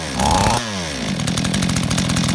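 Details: Chainsaw that had flooded with wet plug, carburetor found out of adjustment and needle possibly not holding: catches after a brief rev, then settles into a steady, even two-stroke buzz with no misfire; running normally.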